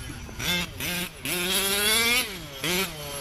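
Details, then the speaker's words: 34cc reed-valve small-bore engine in a 5B race-kit RC buggy: short throttle blips climb high but sound muddy and uneven at the top end; still a little rich on top, to be leaned out slightly. "i think she's still a little rich on top so you hear that"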